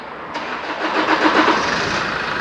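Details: 2013 Chevrolet Colorado Z71 2.5 diesel after injector replacement, injector coding, pump relearn and ECU reset, previously not starting: quick crank, catches at once and settles to a smooth, even idle; healthy start.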